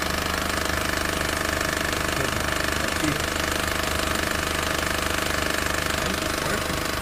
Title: Barulho no motor new civic